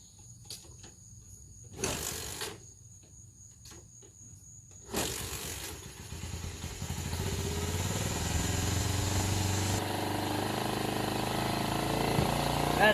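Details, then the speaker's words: 1985 Honda FourTrax TRX250 single-cylinder ATV, started on sprayed-in fuel without throttle control: catches and settles into a fast steady idle; owner suspects a stuck choke is holding idle high, float also leaking slightly. "That's another probably reason it was. Idle and high because it was choked. It's probably still stuck."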